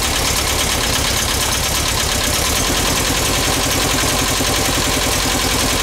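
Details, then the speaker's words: VW Bus engine, first start with the carb fed from a gas can and not cleaned: loud, uneven idle with an irregular skip, one cylinder skipping; tight valve clearance suspected, valves to be adjusted. "that yeah what one cylinder skipping we're going to go adjust the valves"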